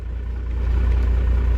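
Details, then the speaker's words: 12-valve diesel truck that has been sitting for a long time. It previously wouldn't start because of the fuel shutoff and is started without priming. It fires right up and settles into a steady, even low rumble with no misfire; healthy start. "But the reason Josh's truck doesn't start is because of that fuel shutoff. Listen to that. Thing's been sitting forever. And it fires right up."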